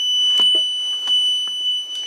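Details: A jump starter pack under a torture test, after a reset at 16 volts and a 5-second crank, gives a steady high-pitched electronic warning tone without a break over faint room clatter; cause unknown.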